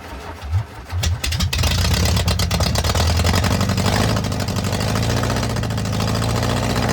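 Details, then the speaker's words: Air-cooled engine of a VW Bus neglected 30 years, engine removed from the bus and mouse nests being cleaned, first start after sitting with no exhaust fitted: loud, raw rumbling idle with sharp crackle; loud open exhaust. "Yes, man. That is loud without an exhaust on it."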